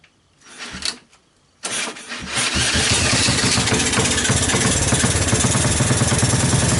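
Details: 1984 Honda ATC 200S single-cylinder swap-meet ATV after long storage, started with starting fluid through the choke: a couple of failed tries, then it catches and settles into a busy, uneven idle; rough running, cause not yet known.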